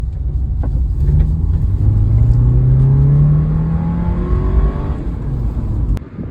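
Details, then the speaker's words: Low rough idle with a faint rising whistle over the rumble, suspected from a torn intake boot vacuum leak; whistle gone after repairing the boot and cleaning the throttle body. "so that noise I think is from this boot being torn so I'm going to repair the boot and see if it goes away"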